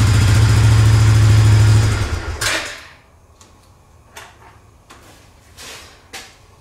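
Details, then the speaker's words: 2005–2007 Suzuki Eiger 400 ATV after a carburetor rebuild, started on choke: a steady, even single-cylinder thump with no misses for about two seconds, then shut off; a normal idle with good throttle response. "throttle response it's running great now"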